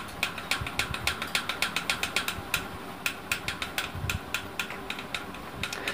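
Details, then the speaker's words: Running ceiling fan giving off sharp, dry "khat-khat" clicks, roughly three to four a second and somewhat uneven, heard before the repair. "यह दोस्तों आप देख सकते हैं किस तरह से यह खाट खाट की आवाज कर रहा है तो इस आवाज को आप सही कर सकते हैं"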